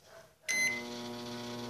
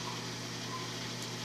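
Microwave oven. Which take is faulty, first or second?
first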